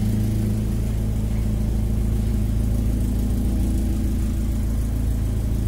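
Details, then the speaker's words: Suzuki SJ410 after installing dual fuel pumps: sounds much better, steady low smooth rumble, no surging or pump whine; no longer cavitating, normal. "Daai klink baie beter. En as ons start, dan caviteit hy ook nie nou nie."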